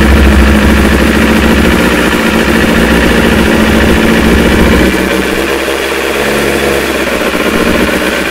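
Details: Kawasaki ZX9R motorcycle started on choke after trickle-charging a battery the owner feared was dead: engine catches and settles into a brisk, even idle, no misses or knocks; starts and idles normally.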